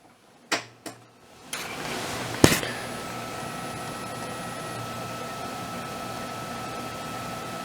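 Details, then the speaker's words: Yamaha SY77 synthesizer before LCD replacement: a few clicks, then a thin, steady high-pitched whine over faint hiss on the audio output, caused by the old LCD backlight inverter circuit. "However, the inverter circuit is causing uh noise on the output. I'll uh insert some video here to demonstrate what what you can hear. It's it's not good. It's like a high-pitched wine."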